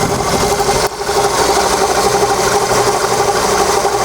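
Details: Volkswagen Polo: idle with a steady mid-pitched rubbing whirr on the right side that began two days earlier, plus light rapid valve ticking; owner suspects the tensioner roller bearing or water pump, unconfirmed.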